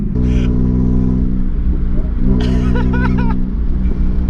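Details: Car whose exhaust burst with a bang on the motorway, catalytic converter split at the side: heavy, blatty, loud low rumble that stays loud as the car pulls along; exhaust leak from the torn exhaust.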